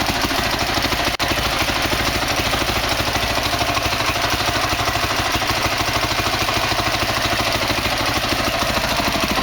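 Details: 2003 Honda CRF450 four-stroke, first start after engine rebuild for seized connecting rod and blown rod bearing, started without choke, WD-40 smoking as it warms: quick, regular single-cylinder popping at steady idle, no ticking or knocking; normal idle.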